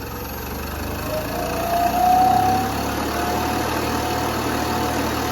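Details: New scroll air compressor for a honeyhouse's pneumatic extracting machines, first power-on: smooth, even hum with a soft mid tone rising slightly as it comes up to speed; no knocking or grinding, normal running.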